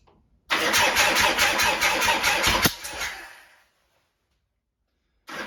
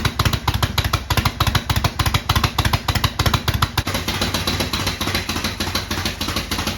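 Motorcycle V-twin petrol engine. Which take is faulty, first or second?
first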